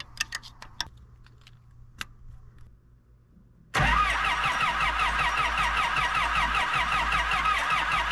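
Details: Kobelco SK120LC Mark V excavator diesel, around 7,000 hours, restarted after thermostat housing gasket reinstall for a coolant leak: cranks, catches at once, settles into a smooth, even idle; healthy.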